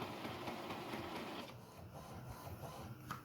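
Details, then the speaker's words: Epson inkjet printer that printed blank on the nozzle check, running a head cleaning started from the PC: busy whirring and clicking from the carriage and pump, uneven rhythm easing off; normal, and the later alignment is OK. "Donc là, directement sur l'imprimante, On entend le bruit, donc on sait que quelque chose est en cours."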